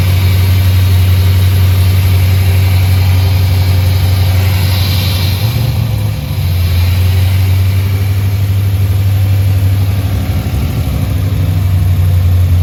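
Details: 2004 Pontiac GTO with built HCI 6.0 V8, first start after rebuild, low fuel, MAF untuned: deep, even burble holding steady idle around 1100 rpm, no misses or knocks; normal idle, runs really well.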